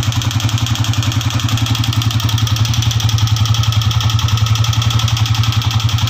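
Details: Honda CG125 old non-Euro 2010-11 model after ring and piston work; fast even ticking about four a second over steady single-cylinder idle: tappet noise, loose clearance from jammed rocker.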